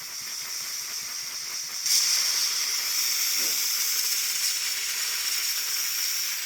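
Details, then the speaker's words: While venting residual CO2 line pressure after refilling a SodaStream bottle from a large tank (big tank valve closed), the bleed valve was opened too far, producing a sharp, steady, high hiss that starts suddenly and holds. "slowly rope I hit it a little bit too I hit it a little too open a little too much"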